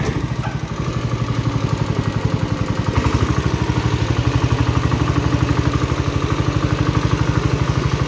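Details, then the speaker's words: 1970 John Deere 110 hydraulic-lift patio tractor, single-cylinder, after burning off some oil; its transmission is very tight. A steady, even putter at fast idle with no knocks or misses: the engine runs surprisingly well. "how it runs as good as it does is beyond me it needs like nothing"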